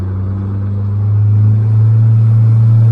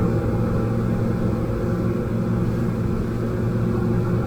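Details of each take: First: Outboard motor at low throttle under load, labouring below its efficient rev range with a hard, deep straining drone; adding throttle brings in a zinging sound at about 5,100 rpm, the fuel-efficient sweet spot. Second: Outboard motor on a boat at cruise, about 5,100–5,200 rpm with trim at the sweet spot: the labouring drone turns into a clean, even, high-revving "zingy" note with no stumbles; normal, efficient cruising run.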